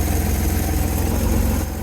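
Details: 1970 Chevrolet C-10 junkyard truck, engine fired up and warming: low, uneven wandering idle thrum; likely no oil pressure reading, wood wedged at the engine mount, debris burning off; runs rough, not worth more money, cause unknown, 400 or LS swap considered.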